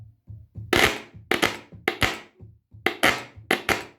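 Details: Yamaha A-460 stereo amplifier, right channel: loud irregular pops and crackle bursts through the speaker each time the front plate or case is knocked, traced to cold solder joints on the STK3042 MKII output module, fixed by resoldering.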